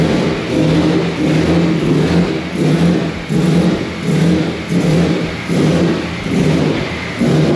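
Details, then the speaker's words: Nissan S15 with a turbo VQ35HR swap, first start, running a different 2007 ECU. Idle surges roughly every 0.75 seconds and never settles. Owner suspects the injectors or the tune, possibly the ECU or a throttle issue. No leaks heard. Unstable idle. "i don't know if it's um because of the [ __ ] the injectors or the tune probably a mixture of both but um it could be the ecu too"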